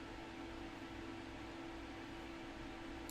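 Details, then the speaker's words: Custom-built gaming PC "Black Knight" with side panel off: fan profile set to full speed, case fans audibly ramping up to a steady even whoosh and smooth low hum, no ticking or rattle. Normal fan operation. "i'm going to go ahead and go to full speed and you can see you saw this one change it went from down here and they're ramping up you can hear them now and then you'll see the temperature start to fall"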